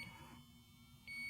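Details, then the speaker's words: JB Industries Prowler LD5000 refrigerant leak detector just switched on: short high-pitched beeps about a second apart over quiet room tone while warm-up bars count to 10; normal warm-up signal, mutable. "you'll hear the audible beeps, which we can disengage by hitting the mute button. You'll see the bars are counting up. The unit is not ready to use until it's fully warmed up."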